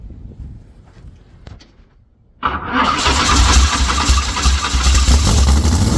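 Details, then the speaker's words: Former world-record Ford 300 inline-six race engine with Pro Stock Boss 302/351C head in a 23 Roadster, alcohol primer down the intake tubes: catches abruptly after quiet fiddling, settles into loud, deep, lumpy race idle with steady firing; normal start. "Little alcohol primer down the tubes. And hopefully she'll kick right off for us."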